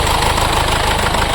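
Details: 2015 Mercedes-Benz CLA diesel idling with heavy vibration and uneven shaking beat: cylinder 4 misfire, code P027285 injector open circuit; connector receives current, so injector faulty.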